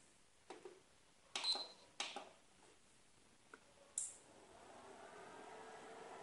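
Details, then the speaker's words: Epson projector converted to LED with a 2-channel relay module, powering on: a few sharp separate clicks as both relays switch at once, then steady quiet fan hiss; normal relay operation. "heard the sound of trip of the both relay at the same time so just let me switch it on"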